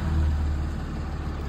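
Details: 2016 Dodge Ram with a Cummins 6.7L diesel, just started after replacing the turbo actuator for code U010C. No calibration was done; codes were cleared with no faults and no check engine light. Steady deep rumble with an even beat and no hunting; normal idle.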